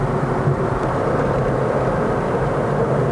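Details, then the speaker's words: 2017 Toyota Vios Sports Edition, 2NR-FE 1.5 L Dual VVT-i, CVT, in-cabin while driving and raising rpm; even low drone with no whine from the gearbox, CVT not loud: normal CVT operation. "The CVT doesn't sound very loud either. Let me give it a try When raising the rpm"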